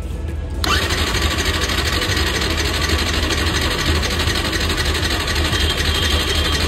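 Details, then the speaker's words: Yamaha R15 motorcycle after fuel pump problem, fuel pipe connector refitted and tank topped up with petrol; bike likely cold after sitting: quick crank, catches right away and settles into a steady, even single-cylinder idle; starts and runs fine. "बहुतेक थंड पडली असणार गाडी बघूया आता फ minute letter बहुतेक पकडली असणार गाडी"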